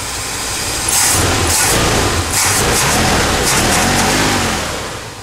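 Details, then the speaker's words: Ford wrecker V8 with retrofitted Chevy HEI distributor, after setting timing (timing chain possibly stretched): revs up cleanly and settles with steady even exhaust, no pinging or roughness; normal revving, to be road-tested for pinging. "sounds good to me um I'll take it and test drive it and see if it gets in it starts pinging"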